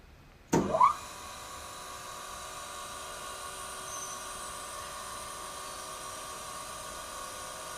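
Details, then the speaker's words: Taft Peirce Model 200 hand feed surface grinder with Walker 6x12 electromagnetic chuck, started up: a short rush, then a smooth, quiet, even spindle hum with steady tones and no knocks or grinding; normal, healthy spindle run. "can see the spindle is nice and quiet."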